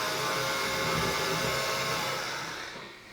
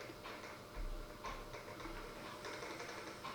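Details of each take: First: Dapol Class 09/08 O-gauge shunter, before/after comparison at about 45% throttle: steady high whirring gear noise that fades as the loco moves off; the drive gear is quite noisy. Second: Dapol Class 09/08 O-gauge shunter crawling slowly after greasing the main gear and running-in on a rolling road: quiet, even gear whirr with no knocks or catches. Smooth low-speed running.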